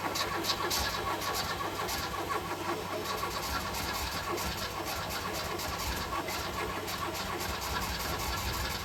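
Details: Ford Escort MK3 Cabriolet under restoration, start attempt: long starter cranking with the engine coughing and almost catching but never running; cranks, no start.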